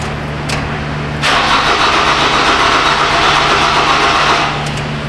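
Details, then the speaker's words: Toyota Camry, previously towed in with hacked wiring, dead again six months later: starter cranks steadily at about four turns a second but never catches. No fuel pump whir is heard; bad fuel pump suspected over being out of gas. "That's negative ghost rider. So, in my opinion, it's either out of gas or it's got a bad fuel pump. But I don't hear the pump whizzing around back here."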